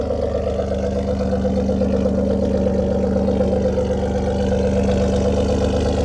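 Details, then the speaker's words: 2015 Ford Taurus Limited, tuned, awaiting repair after timing failure destroyed original engine; cold start, engine not warm; steady loud deep idle through open exhaust, even beat, no knocks or misses; normal cold idle. "let me give you guys another cold start. I mean, no, I know the the temperature of the car went down. Engine's little bit, not a little bit cold, but just uh it's not warm."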